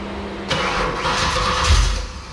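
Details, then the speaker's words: V8 first start on a newly wired Terminator X EFI system, run on the handheld's base tune with idle control not yet set: cranks, catches, then an uneven, lumpy idle with wavering speed; owner suspects the tune. "okay well it starts doesn't sound very good though maybe it's just in the tune"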